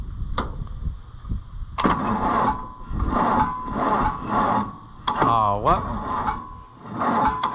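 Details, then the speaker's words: Oliver 1450 tractor during its first oil change in years, starter just cleaned, on a previously dead battery: slow, dragging crank, a labored turn about every half second with a brief squeal, never catching; slow cranking from a weak battery. "who would have thought that using the same dead battery from the other day it still wouldn't start I did charge the other one so maybe I can swap them again and it'll go"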